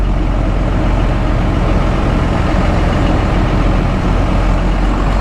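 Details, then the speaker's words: Diesel truck just after a new part was fitted, system primed and injectors cracked to bleed air, pulling out of the driveway near idle: deep, steady, even rumble with no misses. Fuel pressure about 27 psi, far better than before. "all right so just pulling out of the driveway kind of at idle fuel pressure is about 27 psi way better than it was"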